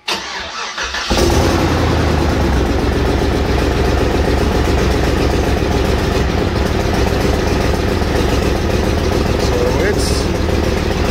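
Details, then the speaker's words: Trailblazer 5.3L V8 after a DOD/AFM delete and a partial weld repair on the exhaust pipe: after a short crank it settles into a steady idle with an uneven, fairly quick ticking puff. Leak is at the pipe, not the manifold. Exhaust leak. "it's better, but it still ain't great. Sounds good. But we're out of... manifold leak. That's actually a pipe leak."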